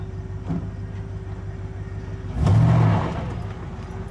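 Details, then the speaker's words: 2500 Silverado, 8.1L Vortec with Allison transmission, pulling a boat under load at low speed: deep, even engine note swells cleanly with no stumble or miss after new spark plugs, coils and wires cured a low-RPM misfire under load. "response good engine response all right so at this point i call this repaired"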